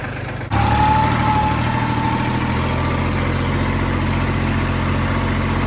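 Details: Kubota L3000DT diesel tractor after replacement with a good used engine and a service: fires and settles into a steady, even idle with a smooth low drone, no knocks or misses; normal healthy idle.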